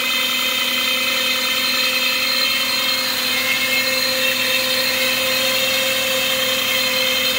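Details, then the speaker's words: 2007 Lexus GS450H hybrid with 226k miles: steady high-pitched whine with several even tones over a quiet engine, no knocks. It seems to come from the back side of the engine, and the owner suspects the generator. "It sounds like it's coming from the back side of the engine, down in there. I'm thinking it's a generator issue. Not happy."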